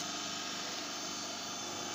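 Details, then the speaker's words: 15 kW rotary phase converter motor, cooling fan removed for quietness, idle supply current under 2 A, stays cool after hours: steady even hum with smooth high whir, no knocks or rubbing; normal running. "IN BEAUTIFUL QUIET IT DOES NOT WARM UP AFTER SEVERAL HOURS OF OPERATION"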